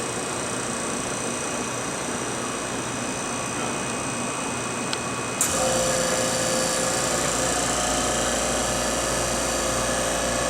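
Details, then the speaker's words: MBraun Labmaster 130 glovebox, antechamber evacuated via the key-press control after refill: after a steady background hum, floor-mounted vacuum pump cuts in around five seconds with even drone and light whine; running normally. "And then when you wanted to evacuate it, you just push the other one. And you can hear it kick on."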